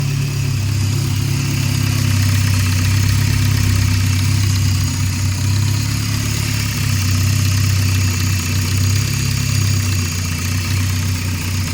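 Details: 2008 Scion xB petrol engine idling roughly with an uneven, stumbling beat; multiple cylinder misfire persisted after new coils, plugs, intake manifold gasket and air filter, and was caused by a brake booster vacuum leak.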